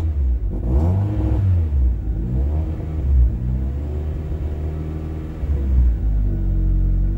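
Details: Honda Prelude on Hondata S300, cold start being tuned by adjusting cranking and cold-start fuel, running open loop with 5.5% fuel correction. Engine catches straight away, blips up and settles into a steady idle without stumbling.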